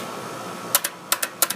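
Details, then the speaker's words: Air conditioner outdoor unit after replacing the contactor: crisp paired clicks over faint hum as the coil pulls in, showing transformer intact and low-voltage coil wired correctly; normal contactor pull-in. "hear that it's pulling in the contactor that tells me two things we didn't blow the transformer and we've just hooked up the coil correctly"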